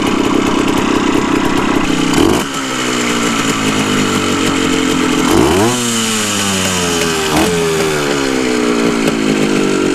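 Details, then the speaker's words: 1974 Honda MT250 Elsinore two-stroke on its first start after a full restoration, on reserve fuel: an even crackle that picks up cleanly on each blip and settles back without misfires. Normal running. "okay well i just disconnected the spark plug it was the only way to shut it off but it's running it's running pretty dang good"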